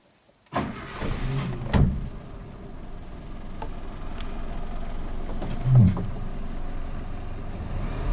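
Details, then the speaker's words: Suzuki Katana with original idle-up, one hose plugged with a bolt, single solenoid. Quick start, then a quiet, steady idle at one even speed with a couple of brief background clunks, AC not yet switched on. Normal idle. "Saya nyalakan AC-nya, ini belum saya nyalakan ya, belum saya nyalakan. Tapi begitu saya nyalakan nanti tetap dia tetap stabil."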